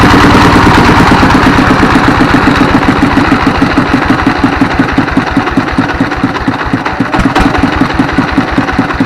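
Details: Single-cylinder diesel S1115, 24 hp, after service for thick black smoke and unstable throttle: steady thump at idle with a slight rise and fall in speed, which is normal at idle; smoke now reduced.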